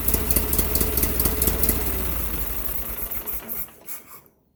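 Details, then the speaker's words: Case Ingersoll 4016 tractor, Onan P216G twin, just after Nikki 6100 carburetor rebuild: even, low thumping idle, smooth but a touch slow, then winding down as it shuts off; normal idle. "It does seem to idle a little bit low, so I'm going to adjust that and play with it, but it runs smooth."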